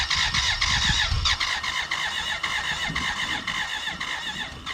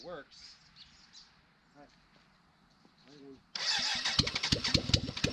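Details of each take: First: 1991 BMW K100 LT (987cc four-cylinder, fuel-injected) that sat outside 10 years: steady starter cranking with an uneven chuff, almost starting over an hour. Later a cylinder-one intake vacuum cap blew off with dirt, showing a sticking valve. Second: 1991 BMW K100 LT four-cylinder after the head was cleaned and reassembled, first run with no muffler or radiator fitted: it catches and settles into a loud, raw, steady run with throttle blips. It runs normally, just unmuffled.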